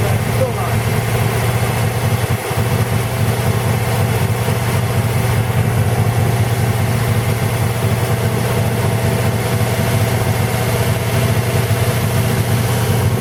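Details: 1940 Buick straight-eight, first start in 30 years after unsticking and a valve job (rings good on leak-down): low, steady idle with soft even beat, no knocking or misses; running smoothly, spilled oil smoking off the manifold.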